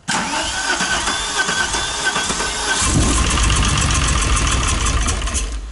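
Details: VW Golf 3 VR6 Turbo, almost 500 hp, on its first start after the engine was assembled. Starter whirr, then it catches into a loud, uneven, lumpy idle with an irregular beat, so it runs rough after start.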